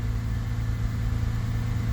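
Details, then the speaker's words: 2000 Honda Accord after throttle body work: starts, rises to about 2500 rpm, then settles into a low, steady, even four-cylinder idle with no skips; no misfires. "Seems to be idling real smooth. Again, no misfires."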